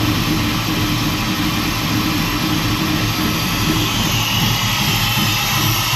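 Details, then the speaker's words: Truck with ACES EFI and Killshot timing control, cold start with untouched cold-start settings: loud, lumpy, uneven idle loading up with lots of fuel spraying and a fuel smell, running very rich. It has been randomly dying while driving. "that's an awful lot of fuel spraying around in there I haven't done anything to the cold start settings at all so that's that's how it is you can smell it loading up"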